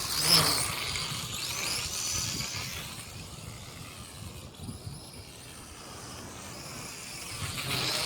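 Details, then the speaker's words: MJ 103 quadcopter (X5C clone) whose open drive gear was damaged in a fall: a buzzy, uneven high whir with a loose rattle that rises and falls with throttle, still flying. "Boy, that gear really got messed up in that fall. That's what I was saying about the open gears."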